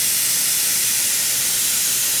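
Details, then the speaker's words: Airbrush spraying air only with no paint drawn: smooth, even high hiss with no sputter or pulsing; normal airflow. "Que o aerógrafo está produzindo um som bem liso, eu não estou acionando tinta."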